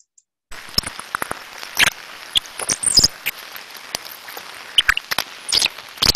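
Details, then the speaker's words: Ultrasound recording of a bearing at an extreme stage of failure: sharp, irregular, bird-like chirps and crackles over a quiet hiss, from lack of lubrication with physical damage occurring. "no that is not a family of canaris stuck in a bearing those sort of sounds we can hear there is a lack of lubrication physical damage occurring"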